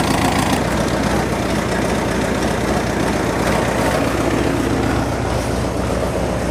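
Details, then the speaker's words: 1986 Ford F-150 "Big Chief", start in cold snowy weather right after a carburetor swap: lumpy, uneven idle with irregular stumbles. Owner says the new carb needs adjustment and suspects the original breakdown was a fuel-supply issue from the tank rather than the old carb. "well I think we can call that a big chief Revival uh up and running not perfect card needs a little bit of adjustment"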